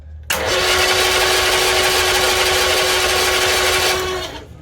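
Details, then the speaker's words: 1964 Bedford CA panel van unrun about 10 years: strong, even starter whine crank for four seconds with no firing; no spark at the points despite power present, points cleaned with contact cleaner. "seem to have absolutely no spark now well the ignition's off isn't it"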